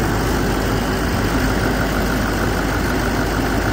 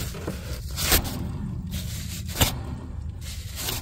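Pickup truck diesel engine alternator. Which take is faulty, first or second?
second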